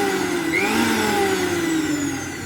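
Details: Usha mixer grinder, 230 V AC, after bush repair and reassembly: smooth high-pitched motor whine with steady tone sagging slightly as it slows, no rattle or sparking crackle: normal motor run.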